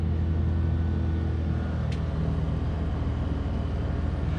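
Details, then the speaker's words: Duromax XP2000EH 2000 W inverter generator running on propane (intake just cleaned of sawdust), powering a 2004 Winnebago Minnie's Coleman Mach 15k BTU rooftop AC fitted with a Micro-Air EasyStart 364 soft starter; deep steady hum, no hunting, AC blowing cold, normal running under load. "I switched over to propane just for this test and propane actually supposed to have less power they gas but on the propane it started up and it's blowing nice and cold and working great"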